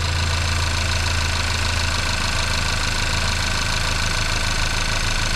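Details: Audi A5 1.8 TFSI, first start after engine rebuild for rough running, oil burning, leaks and worn timing, no throttle: smooth, steady idle with even firing, no misses, surges or knocking; engine sounds healthy.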